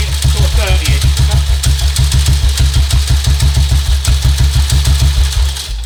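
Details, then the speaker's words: 1952 BSA M21 single after ignition timing was moved closer to top dead centre: strong, even thump at a steady tickover with no misfires or pops. Running cleanly, not getting hot, backfiring much less than before. "And that's not getting hot either. It's not, is it? No. It's not backfiring half as much as it was, is it?"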